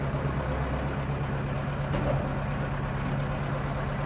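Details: 1997 Zetor 4340 cab utility tractor, 59–60 hp, 4x4, 1447 hours, diesel, traded in unserviced; steady even low diesel drone with smooth firing beat, no knocks or misses, running the 540 PTO; normal running.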